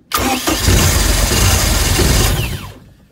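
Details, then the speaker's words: 1995 Mercruiser 3.0LX, sat two years, new plugs, filters, rebuilt carb, new starter and battery, throttle forward: starter whirs, engine catches and roars briefly, then dies as soon as key is released; spark appears present. "you know start when i release the key you can hear it that just shuts off but it sounds like we're getting spark at the"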